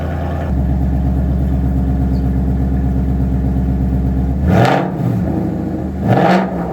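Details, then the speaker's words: Gen 2 Coyote V8 in a donor Mustang, restarted with the driver's side of the engine jacked up after a broken driver's side motor mount let a pulley contact the sway bar mount; steady even idle, two clean blips, no noises or smoke, healthy. "So as you can hear, it is perfect. It fires right up, no funny noises, no smoke, no issues whatsoever."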